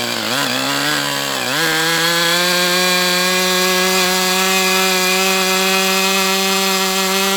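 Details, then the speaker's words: Brat 28 glow engine running hot, not locking up, compression retained: shrill whir rises sharply then holds high, laboring before dying; owner suspects drag somewhere, cause unclear. "It's just like there's some kind of drag somewhere because you have this really high-pitched whirring sound."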